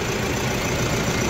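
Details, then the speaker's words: Mahindra Bolero Pickup BS6 diesel with a starting problem (codes P0088, P262B, P128, P1233, P1832), after pump work and code erasure. It gives a brief, steady diesel clatter at idle with an even rhythm and runs normally. "तो अब देखिए गाड़ी का कितना अच्छा आवाज़ है और इसमें"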